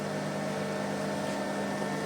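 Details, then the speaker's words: Amplifier with a 20 A transformer, ground wire to the transformer center tap disconnected: a steady low drone with an even buzz at the speaker, which disappears when the wire is reconnected. Mains hum from missing ground connection. "sekarang kita dengar lagi di bagian speakernya nah itu jadi dgungan nya sudah jelas kedengaran"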